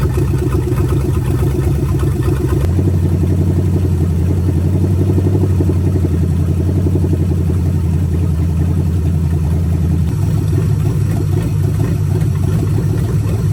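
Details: Budget 283 small-block Chevy with vacuum-secondary carb and open manifolds, just swapped into 1985 Oldsmobile Cutlass with turbo 350: deep loud steady burble, no misses or knocks; ran full cycle, thermostat works; normal idle.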